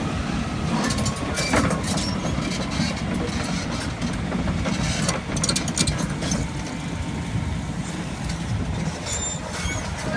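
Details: Volvo EC240BLR long-reach excavator diesel running steady: a rough, hissing roar with a faint thin whistle on top from a failed turbocharger.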